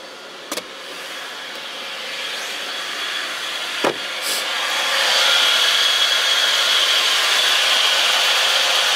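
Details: Mitsubishi Chariot Spacewagon N43W, 4G63 turbo, recorded with the transfer case removed: a thin high squeal around 3 kHz over a hissing running noise, heard near the right front wheel and transmission-to-engine area; the transfer case is apparently not the cause.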